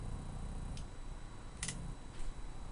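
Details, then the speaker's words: Automotive relay on a bench test, 12V motorcycle ignition lead switching a 36V battery meter (bulb stand-in): sharp single clicks as relay pulls in and drops out over quiet hum; relay switching normally. "you can hear the relay clicking since I turn the ignition on or make contact it turned the relay on the relay turned the light on from the other power supply and I turned the ignition off it turns the relay off"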